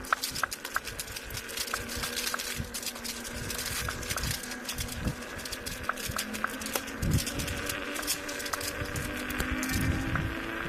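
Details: Kingsong S22 electric unicycle with a new hub motor: sharp knocks about every second as the wheel turns, over a faint motor hum; cause unknown.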